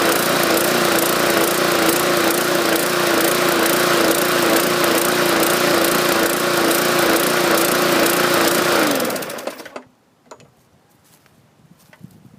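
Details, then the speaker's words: 2014 MTD 20-inch push mower, 300E engine, main jet drilled out to 0.6 mm; loud rhythmic rise and fall in speed until shutoff; owner suspects excess fuel from the enlarged jet, spark plug swap planned to rule it out. "I think this thing is um pushing too much gas we're getting that surging I try to increase the RPMs to compensate for the extra fuel that didn't seem to work"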